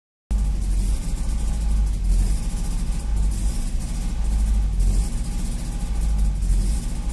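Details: Nissan SR20 low-port that fails after sitting more than 3 days: the idle swells and sags about every 1.5 s, unstable, revved near full throttle until it stalls; it normalizes after about 3 tries and 3-5 min; IAC, ARV clean, plugs and wires nearly new.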